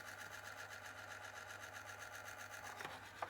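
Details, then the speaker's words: ZX Spectrum +2A built-in tape deck on play, before service: quiet running with a steady scratchy rubbing and faint whir, about two and a half pulses a second, a part dragging on the flywheel. Tape deck mechanism rubbing. "Excellent. If I hit play on the tape deck, you can"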